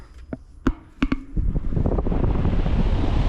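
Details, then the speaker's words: Trane XV heat pump whose owner complained of a whining noise, run on control fan test: a few clicks, then the outdoor condenser fan spins up to a smooth, even whoosh with no whine. Normal fan operation. "that's normal so that's what it should sound like"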